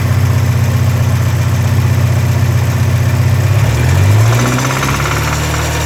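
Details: 1984 Porsche 944 2.5L SOHC inline-four, supposedly recently rebuilt under a previous owner; deep steady knock at idle below cam tower, loudest 2000-3000 rpm, absent first minutes cold, goes away pulling #3 plug wire; lifter tick or rod knock unknown.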